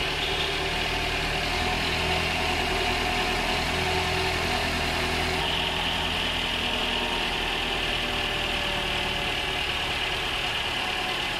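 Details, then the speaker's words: High-mileage Toyota, over 300,000 km with stretched service intervals and heavy sludge under the rocker cover, after chemical engine flush: steady, even idle with smooth hum; top-end tapping noise now greatly reduced. "And as you can hear there, there's been a massive difference in the noise on the top end of this. It's completely reduced it."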